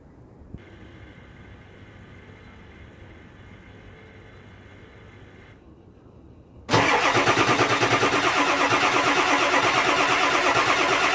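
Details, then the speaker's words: Ford 7.3 Powerstroke diesel, cold (below 50-60 degrees), before the fix; long even starter cranking about three turns a second that never fires, white fuel smoke from tailpipe; cold no-start blamed on injector electronics clearances. "all that crankin and it doesn't matter how many times they do it when this thing is cold anything below 60 degrees 50 degrees it is not starting just rolls the white fuel smoke out of the tailpipe"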